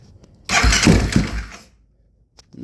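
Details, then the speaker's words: 2008 Kawasaki KFX450R, cold winter day, injector connected back to the stock harness, timing and valves in spec: one weak, labouring second of cranking, then silence, no start; when it did run it died instantly on throttle. "That's it. That's all it will do. It's so weird."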